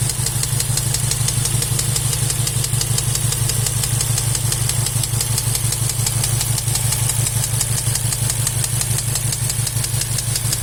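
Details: Golf 7 R engine: steady, even knock about three times a second over the running engine; cause not yet identified.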